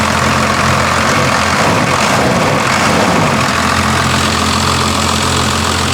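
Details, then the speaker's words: First-gen diesel truck after the fuel screw was backed off a quarter turn, with the idle screw untouched: a steady, even diesel clatter at idle with no hunting. Normal idle; it sounds better. "Sounds better. All right. Huh? Is that just the idle screw? No, that was the all fuel screw."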